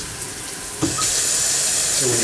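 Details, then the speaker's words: Kitchen faucet with diverter head running a steady, even rush of water with clean hiss and no rattle or hum; earlier noise came from a loose diverter at the head, now pushed in and quiet, normal flow. "push this down it diverts the water hear it yeah and it was loose they not making the noise now is it no it's not"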